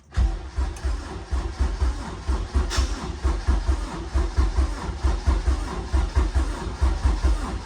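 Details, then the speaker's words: Honda Civic EG racecar at first start, battery reading 12.9 volts: slow uneven cranking with the starter motor skipping. Weak, slow crank. "Okay, cranked, pretty slow, and starter motor was skipping a little bit, but I think she'll go."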